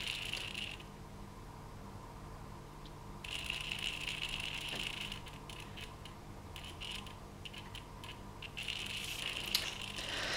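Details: Digital servo chatter on a JR X-3810 transmitter with FrSky 2.4GHz telemetry TX/RX: thin buzzing bursts from stationary servos; owner suspects RF coupling from telemetry transmit into the servo, PPM signals ruled out.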